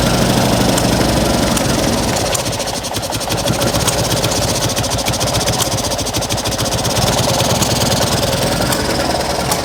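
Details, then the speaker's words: Fiat 126p carbureted engine started on petrol, now running on lamp kerosene: uneven, popping idle with irregular misfires and a ragged beat, coughing along but still running. Owner hopes it improves once warm. Rough sputtering idle on kerosene. "prycha ale dalej idzie może jak się rozgrzeje to pójdzie"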